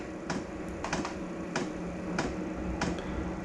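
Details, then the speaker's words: Diesel air heater starting up, fan running: soft, sharp ticks about every half second over a quiet hum, the fuel dosing pump ticking normally before ignition. "the fans on you can hear it cold air coming through here goes now the here the tick of the fuel pump"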